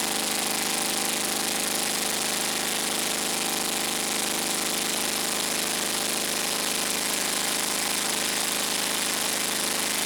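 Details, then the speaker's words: Scag Turf Tiger 61 mower, Kohler CH25S engine, shuts off when blades engage: uneven, lopey beat running on one cylinder; one cylinder is dead, traced to a bad ignition coil; dead cylinder misfire. "well there's our problem right there very easy diagnosis this cylinder is dead for whatever reason the tractor's not even running on this cylinder"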